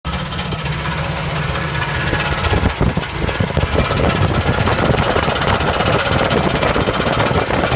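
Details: 1977 Camaro engine running rough and loud, with an uneven knocking clatter over the idle; the source of the weird noise is unknown.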